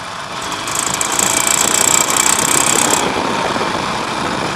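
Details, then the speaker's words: Harley-Davidson Nightster 1200, about 1,200 miles, hard acceleration while riding: a fast metallic rattle rises with revs over the exhaust, then eases off the throttle. Occurs every time it gets good throttle, and the cause is unresolved. "So that's pretty much as extreme as it gets right there. And it's fairly consistent. I mean, it'll do that every time I give it good throttle."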